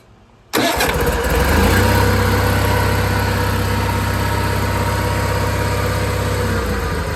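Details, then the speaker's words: John Deere 318 garden tractor after carburetor cleaning to fix surging: starts first try and settles into a steady, even run with no surging or hunting; running properly. "Oh yeah. Like a kid. Oh man. Hey, that that runs real good now. So, this just need a little bit of carb clean."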